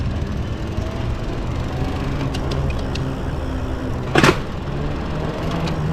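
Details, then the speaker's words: Lectric XPremium mid-drive e-bike with throttle, pulling away in too high a gear: sharp clacks over low rumble as the chain skips over the rear freewheel; fix is shifting down to first at stops. Chain skipping on freewheel under load. "then the chain skips over the Freewheel and you get this like this"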